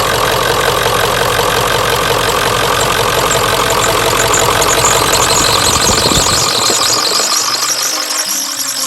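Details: 1996 Ford F350 7.3 Powerstroke turbo diesel dually, first start after a DIY fuel line leak repair: loud, even diesel clatter at steady idle, no misfire or hunting, tailing off near the end; normal idle.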